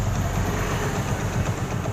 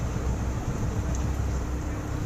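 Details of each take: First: Hero Passion Pro motorcycle at start-up, with no pickup: quick, steady tak-tak ticking over a low idle thump; exhaust blowing past a burnt head gasket; new gasket plate planned. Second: Hero Passion Pro that had a tak-tak noise and no pickup, after replacing a burnt clutch plate: steady, even idle rumble with a faint constant hum and no ticking; the single runs smooth.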